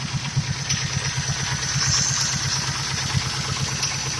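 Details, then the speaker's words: 1999–2004 Mustang 4.6 V8, 76k miles, coolant mixing with oil and a misfire, idling about 800 rpm: quick rhythmic top-end ticking, several a second; owner suspects a bad timing chain tensioner or piston-to-valve slap in the passenger-side head, unconfirmed. "hey guys welcome back to the channel here's the Mustang running we hear a little not or attack"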